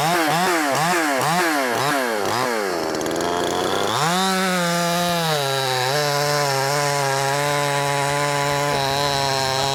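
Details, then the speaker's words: Wemars 6220 62cc chainsaw (50cc chassis), carb tuned leaner from rich factory setting: quick blips then steady even high-pitched full-throttle scream, loud, no stumbling. Normal running. "It sounds good. It also sounds loud. And I guess what I mean by it sounds good, it sounds like it's going to be powerful. Rev's good."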